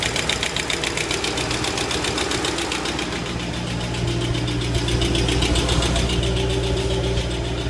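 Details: 2005 Ford Mustang GT V8, 108k miles, Mobil 1 5W-20 with K&N filter: quick, fairly steady tick almost four a second over idle, source unknown.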